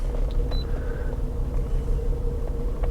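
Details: 2004 Honda Odyssey V6 that bucked while driving and idled rough: a lumpy, uneven idle with a periodic stumble. The code points to a cylinder 4 misfire.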